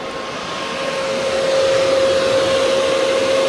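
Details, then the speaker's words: Car cold, with the engine bay fan forced on by a newly added manual switch that signals a hot engine bay to the computer; switched back, the computer resumes temperature-sensor control. A steady airy whoosh with a clear mid-pitched tone. The fan runs normally. "the engine fan is now running and I I switch that back we now have regular operation the fan is controlled by the computer by the temperature sensor"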